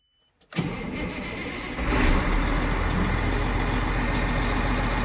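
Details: Caterpillar Challenger 95E diesel after a 250-hour service with Witham oil, oil slightly above full mark: starter whirr, engine catches at about two seconds and settles into an even, steady idle as oil pressure builds; no knocks or rattles, a normal start.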